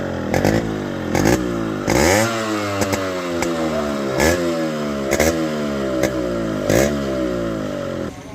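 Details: Yamaha RX135 two-stroke that misfired unless choked; its carburetor was clogged by a small thread particle and cleaned. Crisp crackle on repeated throttle blips, each rev climbing and falling back cleanly with no misfire: normal running.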